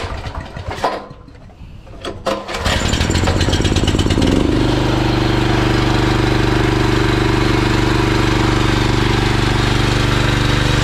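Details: Honda GX390 generator engine after repair, fuel petrol, switch needing replacement: a couple of pulls, then it catches and settles into a steady even drone with no misses or knocks; normal start and run.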